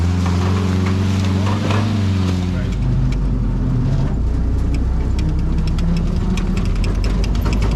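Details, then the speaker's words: WW2 jeep driven around a farm in winter under load: deep engine drone with a faint transmission whine rising with speed; healthy. "Got to listen to the engine and the wine of the transmission. It's cool."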